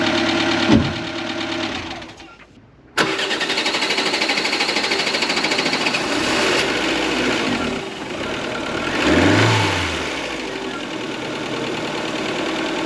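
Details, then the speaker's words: Ford Fiesta Mk4 1.3L Endura, parked since 2019, after service and tappet adjustment: starts after a brief crank once the empty fuel filter fills, settles into an even idle with only soft valvetrain patter, no loud tapping. "well I think you can agree that was so much quieter now with this tap it's done took a bit of a while to get it started but that's cuz the fuel filter was empty but as soon as it filled up with fuel and we got fuel to the engine starts up perfectly and she purs like a kitten"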